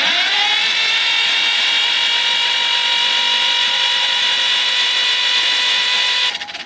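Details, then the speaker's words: John Deere B tractor, sitting many years, cranking with spark plugs out after cylinders were cleaned out; high steady starter whine spinning fast and evenly with no compression beats; normal, faster cranking speed. "Wow, she actually turns over significantly faster now. I think I got most of the crud blasted out of those cylinders."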